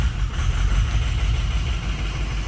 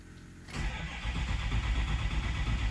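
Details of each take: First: Ford 6.0 Powerstroke diesel just started after replacing an injector: uneven, lumpy low idle rumble, rough at first then settling; slight haze remains. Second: Ford 6.0 Powerstroke diesel long crank after replacing an injector with a cracked tip that caused heavy smoke: deep, steady chugging crank running on without catching while pressure builds; sounds odd but normal.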